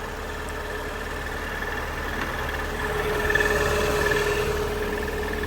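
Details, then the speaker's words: Mazda Miata at idle after adding almost a quart of oil to a transmission that was nearly empty: an earlier noise is gone, but a fast metallic rattle, about four per second, persists over the engine drone. "but you can still hear the rattling in the transmission is pretty"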